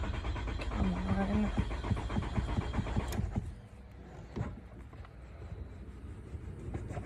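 Rapid, uneven starter churning for about three seconds without the engine catching, then it drops off to quiet; hard-starting car.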